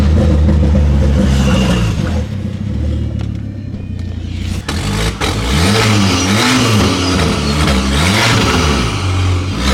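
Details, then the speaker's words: Ford Focus ST/XR5 Turbo with severe misfire: revving with raspy chuffing, louder under throttle at the front; exhaust leak where the downpipe bolts came off at the turbo. "so the bolts come off on the exhaust from where the turbo is so you can here the exhaust s all just coming from the front just from right about here"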